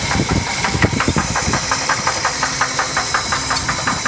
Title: Ford L6 250 Engine Knock